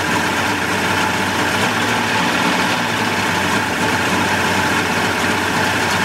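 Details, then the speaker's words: 1988 Mercury 70 hp inline three-cylinder two-stroke outboard in a test tank after carburetor work, smoking a little. Steady, even idle with a constant smooth burble over water splash and no misses or surging; runs healthy. "that's the way you want to see boy the sound of these these inline mercs i just i just love the way they sound and they even sound better out of the tank on ears"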